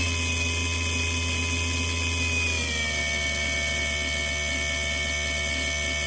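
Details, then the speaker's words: BOMA inrunner motor freewheeling at 72 volts with added heatsinks, not getting hot: high steady whine, then pitch steps down with a faint fluttering stutter underneath, appearing regardless of RPM including maximum; cause unknown. "to me a freewheeling motor should make the same tone all the time at the same rpm you can be completely smooth sounding and there's that that other sound in there which i don't know what it is"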